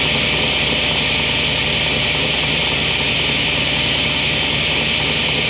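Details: Restored 27-year-old Craftsman 10-inch cast iron table saw running after cleaning and white lithium dry lube: smooth, steady high-pitched whir at constant speed, no rubbing, rattles or grinding; healthy, though belt is old and marked.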